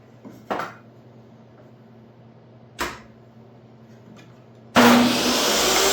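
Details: Restored used DeWalt DW744 job-site table saw, first test after cleanup: after some bumps it spins up sharply and holds a steady, even whine with no rattle or bearing growl. Healthy.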